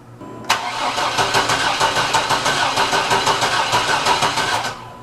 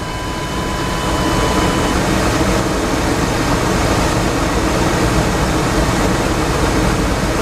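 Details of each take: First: 1987 Chevy Astro van (description says 97) that had to be towed in, cranking but not starting: starter turns the engine over at about three even pulses a second for four seconds without catching. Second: 1987 Chevy Astro van (description says 97) after repair of a crank-no-start, battery reconnected, in park: engine catches and settles into a steady, even run before shutting off, no misfire or stumble; normal start and idle.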